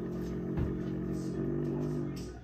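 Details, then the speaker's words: Samsung refrigerator freezer: steady loud droning whirr that holds level with doors closed and stops when doors open; owner suspects a bad evaporator fan motor, not confirmed. "And so what my knowledge and my internet research here has told me is that the fan motor is bad."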